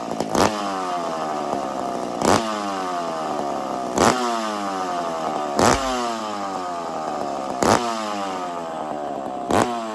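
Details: McCulloch two-stroke chainsaw after starting trick, warming up: sharp throttle blips about every two seconds, each winding down cleanly, blowing smoke as it warms; picks up and settles evenly, normal warm-up running.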